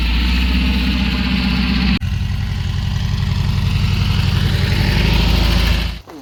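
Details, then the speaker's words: Dune buggy revived after sitting about a year and a half in a barn, fuel pump just primed. A lumpy, uneven idle keeps stumbling after a road test. It is a misfire from one dead cylinder; the number 4 plug wire was found loose and a wide-gapped plug is blamed. "So I said when I did this, I had a weird misfire. I just took it down the road and back, still same misfire."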